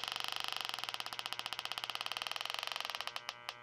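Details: Trane American Standard unit, about 10 years old: leak detector probe on the coil gives fast steady high-pitched clicking, roughly fifteen a second, slowing and breaking off as the probe moves away; refrigerant leak found at this spot.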